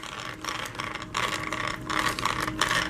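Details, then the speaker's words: Arrma Vorteks 4x4 3S BLX 1/10 stadium truck RTR, new out of the box: dry ratchety whirring in uneven bursts from gears set up with no grease; normal noise, nothing broken. "is the normal noise coming from the gears. So when you get it, the car is not broken. This is how they set up the gears inside. There's no grease or anything, so this is the noise that you're hearing. It's completely normal."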